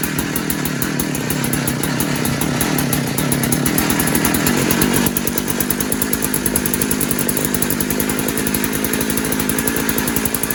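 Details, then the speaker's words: Posthole digger two-stroke after carburetor install, carb has no adjustments: small engine pops along at a fast, fairly steady beat with no stumbling or surging; runs pretty good, normal running. "Well, seems like it runs pretty good."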